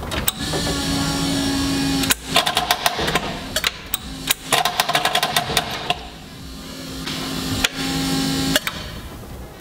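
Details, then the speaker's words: 1974 BMW 2002tii after reassembly with new clutch: starter whines in bursts broken by rapid clattering clicks, only half engaging, engine never catches; cleaning and lubricating the starter didn't change it, transmission removed to investigate. No start. "sounds like the starter is only half engaging my initial reaction was something was wrong with starter"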